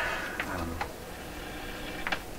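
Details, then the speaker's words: 1928 RCA Victor Model 28V radio: sharp irregular ticks through the speaker over a faint steady hum, about two per second in bursts; ticking interference persists, source suspected to be nearby noisy equipment, not confirmed. "You still hear that ticking though, eh? So I want to get to the root of this. I've encountered this sound repeatedly."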